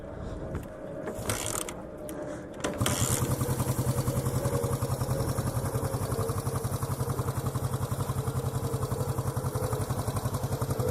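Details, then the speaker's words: 1973 Honda CB350 G twin motorcycle with original mufflers, new petcock, new tires and chain, restored to running; kickstarted (it also has electric start), it catches after a few seconds and settles into a steady, even idle with a smooth exhaust beat; normal running. "So I'm just gonna turn it on right now so you guys can hear it. It has an electric start and kickstart. So I'm gonna do a kickstart right now."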